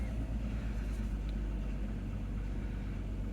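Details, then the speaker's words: 1998 Mk III Jetta VR6 12v, cold Colorado winter, just after new ruthenium spark plugs fitted for rough cold start: even steady idle, no misfires, slight timing chain noise that usually goes away; normal idle. "sounds good a little bit of that timing chain right here a little bit usually it goes away but no misfires nice idle"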